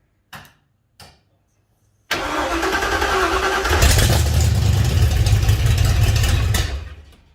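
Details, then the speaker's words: 1956 Ford F-100 swapped engine, first start on a temporarily wired ECU, no coolant yet: two short cranks, catches, steady even low rumble about four seconds then shut off; some smoke from new paint; healthy start. "Here's a runner. got smoke, which I kind of figured."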